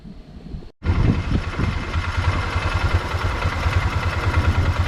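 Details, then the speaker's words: 2005 Polaris Ranger (believed 500), 487 hours, warmed up after cleaning a clogged carburetor pilot jet: brief quiet start, then steady even idle with low thumping pulse; previously died without choke. "Now that it's back together, I've kind of got it warmed up. Seems to be idling just fine."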